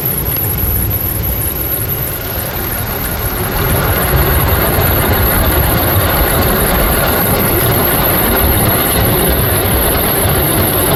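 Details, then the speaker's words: 1995 Ford F-150 4x4 V8 idling slightly high, belt tensioner hanging out: quick faint puffing tick under belt noise from an exhaust leak near the manifold. "Yeah, no doubt about it. You can hear that exhaust leak."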